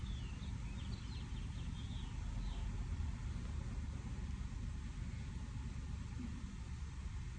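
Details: Toyota engine after secondary air injection fault found, air pump just switched off; low even idle rumble with no pump whir; smooth, quiet normal idle.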